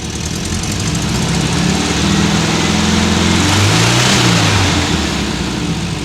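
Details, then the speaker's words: Warmed-up 1979 VW Super Beetle fuel-injected air-cooled engine idles then revs lightly with a raspy, puffing note; rusty original factory muffler with a couple of exhaust leaks, before stainless replacement. "This thing has an exhaust leak on it. Uh, couple of exhaust leaks. It's the original factory muffler. It's in bad shape."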